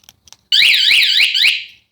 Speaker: Remote start fine. Right off.